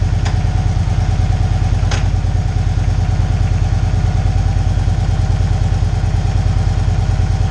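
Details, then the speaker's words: 2012 Victory Cross Country 106 V-twin, 47,000 miles, after shifter mechanism replacement for hard downshifting: lumpy but regular idle, two short clicks as gears go in, no grinding or clunking; shifting later reported flawless. "but we're gonna fire it up here see how everything works so if it runs through the gears and we'll give it a shot a little bit to warm up"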